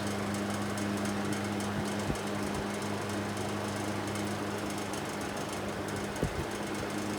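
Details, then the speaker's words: Probably mid-1950s Fasco 12-inch 3-speed box fan, motor unserviced: steady low hum under a constant buzzy rattle; owner suspects loose blades or a very dry motor needing oil, unconfirmed. "like that sound it could just be that the blades are loose"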